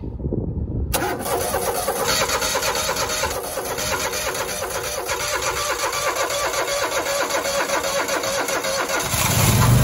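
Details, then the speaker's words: Grasshopper 225K zero-turn mower that wouldn't start after running out of gas and being refuelled; its fuel pump failed at 150 hours. Choked, with a likely dry carburetor, it cranks for nine seconds and slows, nearly catching as the weak battery runs too low. "oh man almost didn't have enough battery"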